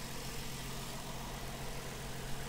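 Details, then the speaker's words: 2016 Ford Mustang V6 at a Copart auction, oil recently changed: steady even idle with smooth low rumble, no misses, shake, jiggle or knocks; engine healthy, though possible rodent chewing on wiring nearby. "these aren't the prettiest engines but they're easy to work on and this sounds nice it's there's no jiggle to it"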